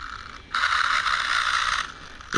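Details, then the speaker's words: Rlaarlo AK787 RC car, dual ESC and motor setup: high whirring bursts as the motor spins freely with no drive; Loctited grub screw came out, pinion spinning on the motor shaft. "Yeah, it's just a spinning. That's why it's making all that noise."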